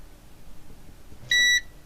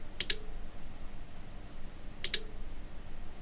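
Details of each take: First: Cambridge Audio Minx Air 100 speaker on the bench during a no-power SMPS repair: two clear high-pitched beeps in a quiet room, its normal standby chime as the standby supply powers up. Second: Cambridge Audio Minx Air 100 speaker with no power, bench-powered with lid off: rhythmic double ticks about every two seconds like a relay clicking, no lights; fault traced to failed switch-mode power supply.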